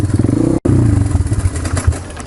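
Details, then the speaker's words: 1995 Honda XR200R cold start, started better than expected: uneven, lumpy single-cylinder firing with a brief cut-out and stumbles; rough cold running. "there she goes Wow I went a lot better than I expected she's a cold nature so I just sit here probably 20 minutes"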